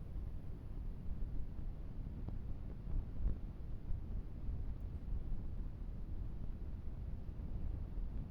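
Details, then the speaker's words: Huawei P30 Pro phone recording video in a silent room: constant low rumbling hiss with scattered faint crackles from the microphone. Authorized service reinstalled software and called it normal for this model. Microphone noise and crackle. "Oprócz tego, że jest mój komentarz, wystarczy lekko podgłośnić wideo, aby usłyszeć, jak mocno zaszumiony jest dźwięk. Występują jakieś trzaski."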